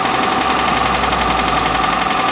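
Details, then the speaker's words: 1987 Toyota Camry LE, 4-cylinder, automatic, cold start after three days sitting: quick steady metallic clanking over the idle, expected to quiet as it warms; typical old-engine cold-start clatter. "this is a cold engine and has not been started in three days how do you beat that kind of reliability how do you possibly beat that kind of reliability it's clanking you hear it as it warms up a bit the noise will"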